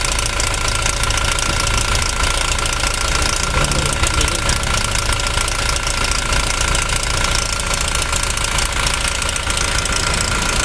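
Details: Toyota Revo at idle: loud engine with an irregular clacking about twice a second on top. The mechanic suspects the timing chain and will know once it is disassembled; the source is not yet confirmed.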